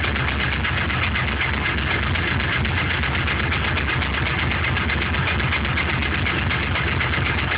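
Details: LS1 aluminum V8 (C5 Corvette block, truck accessories) cold start on 10W-30 conventional oil: steady light knock about four per second over the hum; possibly piston slap; runs strong, no leaks or smoke.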